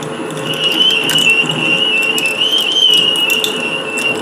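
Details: Lathe boring an aluminium geophone encasement, held in a chuck rather than a collet, with WD-40 as cutting fluid: high wavering squeal held steady with sharp ticks over it, tool singing against the aluminium. Cause suspected, not confirmed.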